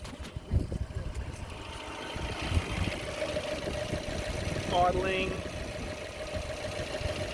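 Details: 1999 Ford Laser after repair of erratic idle (previously rose to about 2000 rpm, then bounced between 1000 and 1500): debris cleaned from the idle speed control valve; now a quiet, even, steady idle without surging.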